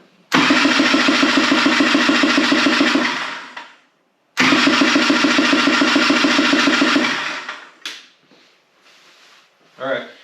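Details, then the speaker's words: 1985 Honda Odyssey FL350R engine, blown on a previous trip, cranked during compression test: fast, even, light cranking beats with no labored compression strokes; gauge stays at zero, big hole in piston, no compression. "now you'll notice my needle didn't move at all gage is still set at zero that's no surprise there's a big huge hole in it"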